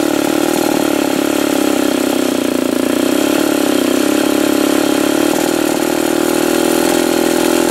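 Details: Old Remington SL-11 A chainsaw after repair (oil had been fouling the plug, fuel lines and fittings redone), reassembled and cranked: steady high two-stroke buzz with even firing, no misses or surging; normal running.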